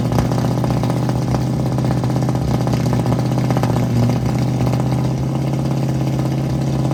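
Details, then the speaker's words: 1967 Mustang V8 at idle, distributor timing being readjusted after a fuel problem: lumpy idle with uneven exhaust pops; ignition timing off. "So we're back trying to mess with timing again. I'll start the car up, it pops out of the exhaust a lot."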